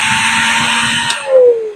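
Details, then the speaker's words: Universal commercial mixer grinder (Kanpur-made) test-run after reassembly with carbon brushes fitted and holder tightened. Motor spins with a smooth high whir, then coasts down, no rubbing or rattles; runs easily, no noise. "देखिए यह कितनी आसानी से चल रहा है। कोई आवाज नहीं है।"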